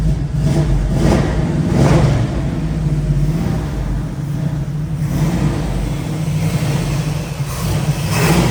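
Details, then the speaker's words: 1972 Chevrolet Nova, 383 stroker small-block V8, tuned 4bbl carb, dual exhaust, TH350 automatic, just started, still cold: deep burble rising in quick revs and settling to even idle, no knocks; healthy revving. "It's really healthy. It's still a little bit cold, so you gotta let it warm up."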